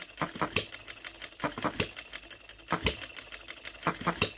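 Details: Brand-new OKMO Retrol B02 miniature petrol hit-and-miss engine on its first start, unadjusted out of the box, running on 25:1 shellite with Marvel's Mystery Oil: short bursts of sharp firing pops, then coasting gaps, at a relaxed, irregular pace. Normal hit-and-miss cycle.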